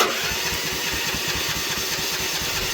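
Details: Manlift engine started cold at 41°F with its electric choke, after the stop switch was replaced: it catches and settles into a steady, even fast idle with a quick regular beat. Normal cold start.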